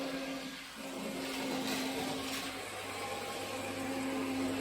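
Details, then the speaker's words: Hornby TT:120 DCC locomotive with a Hornby-fitted replacement motor at full speed (CV 255, 126 speed steps): loud, harsh, steady buzz with a fixed hum; motor excessively noisy and too slow, struggling to reach scale speed. "So you can hear the motor is excessively noisy, and it is also, I'd say, too slow. It's struggling to get anything like its scale speed."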